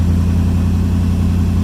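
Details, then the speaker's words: 1951 International rat rod, first start after Toyota wiring work: steady, even rumble at a settled idle with no misses, knocks or whine; idling healthily. "I can't believe she's alive. And it's running good too."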